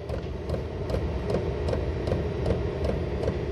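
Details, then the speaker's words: Chinese diesel air heater starting up on a 12 V test battery: steady fan rush speeding up under sharp, even fuel-pump clicks about two and a half a second; normal startup. "so you can hear this thing speeding up now"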